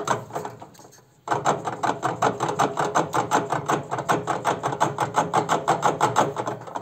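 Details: Arçelik washing machine: loose plastic clatter about three knocks a second as the drum is rocked by hand; worn-out drum shock absorbers sliding freely, letting the tub rattle.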